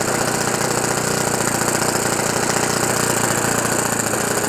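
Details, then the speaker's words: OS FS 91 Surpass 15 cc methanol four-stroke on what is probably a Graupner 14x7 prop, breaking in a new ring after a crash rebuild with an epoxy-welded exhaust; steady buzzy mid-speed run with a soft burbling note, running very rich for break-in. "très très gras, très riche, ouais, 14,7, très très riche pour bien roder le segment."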